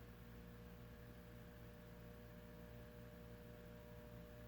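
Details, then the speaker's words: Dayton Lasko commercial ceiling fan with 40" blades, run on a solid-state speed control; the motor is reportedly 16-pole: a low, steady electrical hum with a faint mid tone and no ticks or wobble, rated quiet enough for a living room; normal motor hum. "Probably one of the quietest ones I've heard. Yeah. I'd say living room."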